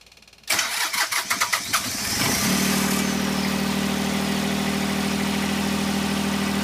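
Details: Westerbeke marine diesel generator on a sailboat, after earlier failed starts with only ticking: strong cranking pulses for about two seconds, fires and settles into a steady, even hum; good clean start.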